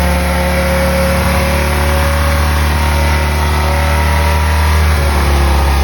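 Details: BMW M3 with V10 swap, new 10-into-1 headers and 5-exit oval 3.5" custom exhaust, no radiator fans yet, warming up: deep even V10 roar held high with smooth steady pulses, no misses, knocks or rattles; normal engine revving.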